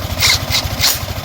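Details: Yamaha Sniper 155 idling after water pump repair kit replacement, which previously whistled: steady, even low pulse with no whistle on top; healthy idle.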